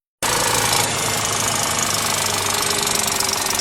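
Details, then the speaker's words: VW Touareg EA837, rebuilt for oil burning in 2020, cold start: fast, bright, constant metallic rattle from chain slap caused by a broken factory timing chain tensioner guide; no oil consumption. "5年前烧机油大修过的大众途锐发出了这样的声音。"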